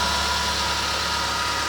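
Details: Ford Zetec Rocam engine (Fiesta/EcoSport/Ka) after replacing the timing chain kit and tappets to cure chain and tappet noise on cold start: quiet, steady idle with no chain slap or tappet clatter; running normally and perfectly.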